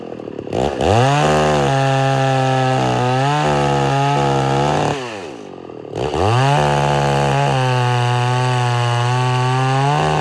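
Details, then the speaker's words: Homelite Super XL-925 82cc vintage two-stroke chainsaw, governor blocked off: strong steady buzz in the cut, brief sag then clean pickup; tuning judged spot on, digs in well. "i think i got the tuning pretty much spot on though uh if i really dig into the wood she digs in good"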